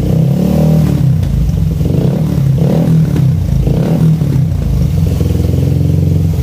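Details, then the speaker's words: Suzuki Satria FU with racing exhaust after carburetor repair kit and pilot jet change from 12.5 to 17.5, exhaust leak repaired: soft, bassy exhaust climbing cleanly through repeated blips and settling to steady idle, no popping; normal running and revving. "Setelah diganti itu suara anginnya juga lebih enak, lebih stabil, lebih cocok dengan sinar knalpotnya. Ciri khas dari airline ya, lembut, ngebas."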